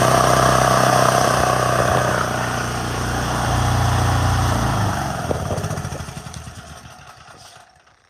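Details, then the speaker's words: Propane-fuelled generator started with choke off, since the valve must be wide open for propane to get in; holds a steady, even hum for several seconds, then winds down and stops with no stumbling. Normal running. "And that's how easy it is. You gotta do it. You can't use the choke because that valve has to be wide open so the propane can get in there."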